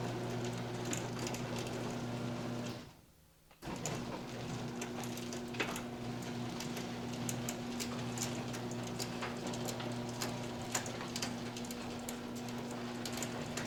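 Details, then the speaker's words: Garage door after fitting new quiet rollers: steady opener motor hum throughout travel with only faint track ticks; rollers smooth, no grinding or squeal. "Now, this thing picks up the uh the sound of the motor a lot, but listen to the tracks and the difference."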